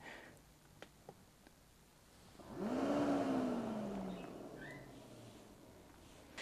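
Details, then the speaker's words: Autoterm Air 2D diesel heater, fed from an extra tank, first start in a 1988 Mercedes 310 T1 van: quiet start, then the fan hum swells and rises in pitch before easing off; normal start-up. "the display says heating that looks good and now we have to be patient a little bit because the manual already says that it doesn't start immediately but it will take a few minutes"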